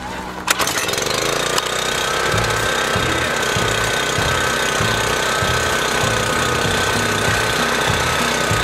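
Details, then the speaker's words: Small single-cylinder engine left outdoors three months, once buried under two feet of snow, on 14–15-month-old 87 octane pump fuel, no additive, about half a tank or a little less; catches after a couple of pulls, steady even chug; normal running. "this thing was under snow it was completely buried in snow fire right up i bet and again this just has regular 87 octane pump fuel that's 14 15 months old now"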